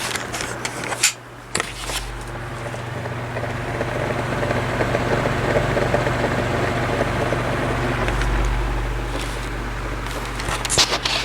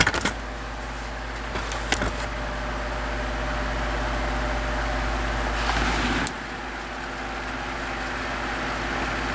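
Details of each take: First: 12-inch oscillating desk fan on low speed, before repair: a steady hum with a faint, uneven rattle from worn thrust washers and dry steel bearings. It ran quiet after lubrication and new thrust washers. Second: 12-inch oscillating desk fan after lubricating dry bearings and replacing worn thrust washers, humming steadily and quietly with no rattle on low or at any angle: normal quiet operation.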